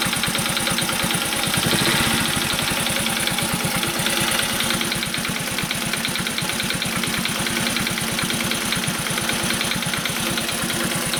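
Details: Honda Cub commuter single-cylinder engine at warm idle: quiet right after starting, but once warmed a steady fast light ticking rides over the idle, fading when revs rise slightly; suspected loose tappets, tappet adjustment planned.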